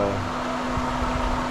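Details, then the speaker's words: Pool pump running steadily with an even mid-tone hum and smooth water flow after priming with water borrowed from the spa; primes fine, though a missing check valve makes manual priming necessary. "I'm gonna borrow a little bit of water from the spa so we Prime up quicker once again there should be a check valve here or else I wouldn't be needing to do this"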